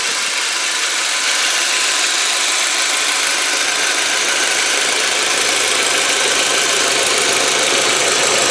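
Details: 2003 VW Passat sedan, 1.8 turbo four-cylinder, five-speed manual, warm day, mic at open engine bay: steady, even idle under a loud constant hiss with no knocks or misses; normal idle.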